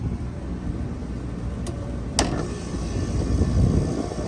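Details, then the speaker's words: Three-phase compressor, now wired correctly, starting as the contactor pulls in on cooling: low, steady hum, smooth even run with a fan whoosh over it, no knocking or rattle; much quieter than before, running normally. "There it goes. The compressor's running. Do you hear the difference, how quiet it is?"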